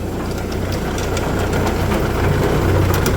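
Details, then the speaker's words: MK Martin Meteor rear-mount 3-point snowblower on Massey Ferguson, PTO driven, rumbles loudly only when fully lifted, fine when lowered. Deep rough rumble with uneven ticking; owner suspects a bad gearbox bearing behind impeller, possibly universal joint. Gearbox rumble. "I think it's coming from that gear box right there and going through to the impeller"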